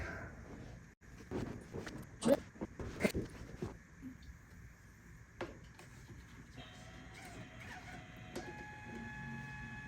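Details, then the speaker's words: Power Mac G4 Cube slot-load optical drive loading a restore disc: irregular clicks and short motor whirs that start and stall; drive seems to have hit the disc and not pulled it fully in, possibly jammed. "yep it probably hit the disk it doesn't sound good I don't think it pulled the disc all the way in"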